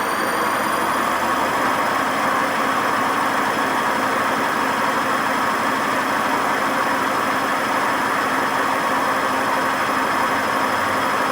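Steady high-speed spin with a constant loud rushing roar and fixed whining tones over it, typical of badly worn drum bearings.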